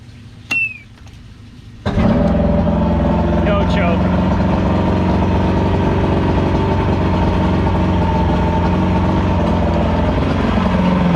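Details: Evinrude V4 crossflow outboard restarted: short crank, fires first turn, then settles into a smooth, even idle after cam follower roller replacement and link-and-sync, timing about 6° BTDC.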